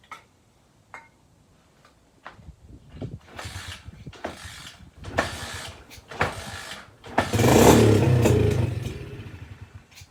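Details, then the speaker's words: SSR pit bike, fresh fuel added; several short spluttering start attempts, one brief ragged catch that fades; owner suspects gummed carburetor and stuck float. "we have life it almost sounds like it wants to run let's try one more and we'll try with the choke on this time no i imagine we have a uh imagine we have a stuck float pretty common"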